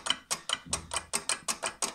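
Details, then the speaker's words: Scrap scooter being stripped for rebuild: a loose, freely moving part gives sharp dry clacks about five a second when pressed. "bastığım zaman takır tukur ses yapıyor"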